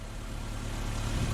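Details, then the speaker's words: Drift car engine idling after a change from the wrong oil to fully synthetic 10W-50/60, which cured the earlier lifter tick; smooth even low rumble with no ticking; healthy. "oh my gosh it's so quiet now that's awesome yeah wow guys there's no ticking anymore"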